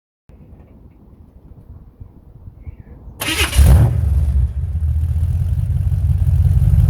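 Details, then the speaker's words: Chevrolet Camaro Z28 V8 after overhaul with performance components to cure earlier rough running, stainless exhaust with Flowmaster mufflers: quiet, then it catches at once into a deep, steady, even idle rumble, no misses or knocks; now sounds much better and quiet. "so as you can tell by the video i've just done there she sounds a lot better now lovely and quiet"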